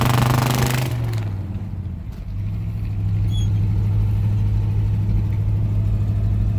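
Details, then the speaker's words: 1971 Chevrolet C10 with a 307 V8 and 4-speed, on a drive. Lumpy, uneven low exhaust rumble of about three pulses a second with occasional misses under road noise. Rough running; cause not confirmed. "oh and here capture some of the awful exhaust notes"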